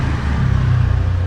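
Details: Hyundai Aura, about 200,000 km, heard from under the car as the wheel is turned by hand: steady low hum from inside the gearbox, likely worn bearing; gearbox later removed, metal particles found inside.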